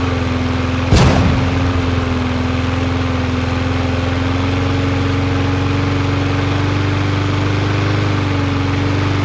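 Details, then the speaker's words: Yard Machines MTD 21-inch push mower with Briggs 550EX auto-choke engine, after bending the bar to raise speed: after a sharp pop, a steady even hum at constant pitch with no hunting; about the right rpm. "i know i was bending it the wrong way that's about the right amount of rpms"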